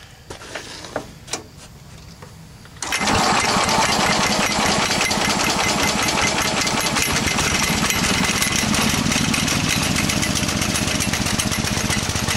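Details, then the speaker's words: Small engine running with the belt off after the dry idler pulley was rebuilt with aluminum rivets: knocking and handling, then a fast, even buzz with no squeal or rattle; sounds a lot better, normal running. "let's jump the belt off and go like that and then you can see the pulley and that sounds a hell of a lot better okay here we go"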